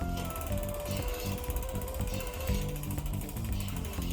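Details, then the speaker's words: Lectric XP Step-Thru e-bike front mechanical disc brake, bike upside down, wheel spun freely: rhythmic scrape each turn over freewheel ticking as the pad rubs the rotor; fix is one counterclockwise click of the pad adjuster. "complete silence perfect you hear the scraping there"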